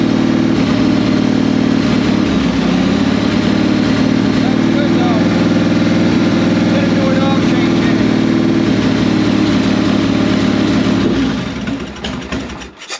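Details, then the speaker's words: 1998 Harley Sportster (XLH883 converted to 1200) that sat 4 years, after ultrasonic carb cleaning, choke held by hand: lumpy, loping V-twin idle, steady uneven beat, no knocking; runs normally but the idle needs adjustment and the float bowl gasket is suspected of leaking. "Alright, so we got it running."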